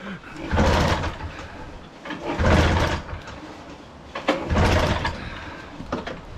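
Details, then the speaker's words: Marketplace-bought microlight with two-stroke engine and three-bladed prop, old possibly bad fuel: three pull-start rasps, no catch; good compression but won't start, needs throttle; plan is to drain fuel, clean carb, fresh fuel, check plugs. "it won't go it won't go Jesus it's got a good compression need some throttle"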